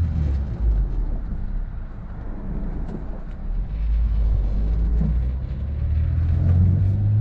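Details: Honda S2000 after fixing a misfire at higher rpm (oil found): deep engine rumble swells smoothly with road noise and climbs steadily in pitch under load, pulling cleanly into VTEC without stumbling.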